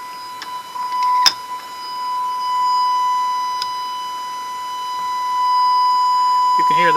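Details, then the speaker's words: Baylor 6 radio after capacitor replacement, signal generator loop injecting 455 kHz IF: clean steady 1 kHz-type tone through speaker without crackle or dropouts; RF-to-IF and detector working, fault lies before that. "we've got going uh 455 kilohertz the if frequency going through the radio in other words it's getting through the rf into the if and then being detected by the detector so all that part is working"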